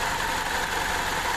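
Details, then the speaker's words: Timing chain slap at idle on a 2009 Chevy Cobalt 2.2 L Ecotec petrol engine: a fast, busy ticking clatter as the failing tensioner lets the chain loosen and slap; interference engine. "sound of the timing chain uh actually the tensioner is what goes bad and causes the timing chain to loosen up and you get uh timing chain slap it's in there slapping"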